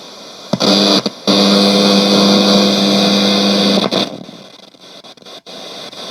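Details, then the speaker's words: c.1989 Hitachi MS-W600W twin cassette boombox from storage shed, on FM with antenna up: loud steady hiss, low hum and sharp crackles from dirty switch, volume and balance controls, no station; suspected grime or faulty controls. "Alright, the radio's not working. It sounds like it's trying to work, but between this switch being very noisy, the volume being almost, there doesn't seem to be any control on it."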